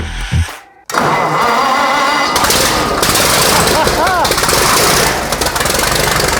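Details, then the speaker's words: 1917 American LaFrance Special, restored engine on its first start after installation: after a brief pause it catches and settles into a loud, fast, even popping run; normal running. "There we go. Very successful. That sounds amazing."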